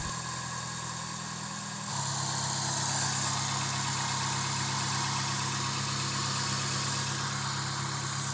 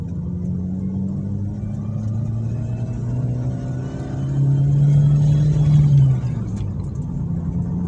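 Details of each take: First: Suzuki Swift after the coil cables were reconnected: a low, rumbling idle that steps up and stays uneven, because the air-flow sensor has no filter and is not reading stably. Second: Suzuki Swift after repair of a klotok knocking traced to worn camshaft (noken as) play, shaft machined instead of replaced: smooth steady hum climbing evenly with revs, no knock or tick; noise gone, normal revving.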